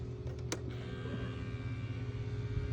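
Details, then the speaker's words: Spirit Halloween animatronic (possessed pumpkin): talks when plugged in but won't move; low steady electric motor hum with light whir, no load change or clunks; motor spins without engaging the drive mechanism. "But basically, if I plug him in right now, he talks, but he won't actually engage. You can hear the motor. You can hear the motor just spinning."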